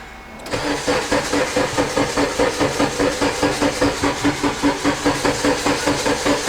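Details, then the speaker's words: Turbo K20 Integra on stands, first start after turbo build: dry cranking with fuel and ignition unplugged, quick even starter chugging at a steady beat with no catches or drag; healthy normal cranking. "there we go everything's lightened up all right well give her some dry cranks all right some more"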